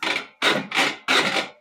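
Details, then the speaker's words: Big Ass Fans gear-drive industrial ceiling fan: three harsh, heavy metallic clanking bursts as gears grind past each other inside the gearbox, and the blades are not turning. The gears are worn out and the gearbox needs replacing. "that sound if you get that Clank sound that is going by each other inside the gearbox down here a very heavy metallic sound so you get this very heavy metallic sound that is your gearbox going out"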